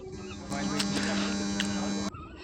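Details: 3055 amplifier board with filter capacitors and bass knob already replaced: loud steady low mains hum, unchanged while probing grounds from the 7805 regulator for a grounding fault; hum persists.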